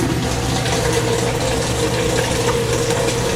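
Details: Washer in test mode after water inlet valve replacement for LF/F8/E1/LO/FL error codes; hot water fill, steady rush with even hum from valve, no chatter or hammering; working normally.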